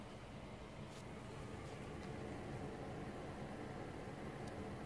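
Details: GTX 980 Hall of Fame Edition under gaming load: only a soft, steady fan hush at low fan speed, no coil whine or buzz; normal and quiet. Noise appears only under extreme benchmarks.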